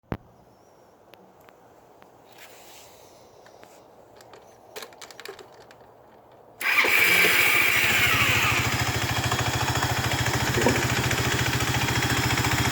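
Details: Yamaha Riva 125 XC scooter runs with a harsh, raspy, hissing noise worsening with throttle after starter clutch replacement, rear clutch reline and bell housing buffed; owner suspects variator weights.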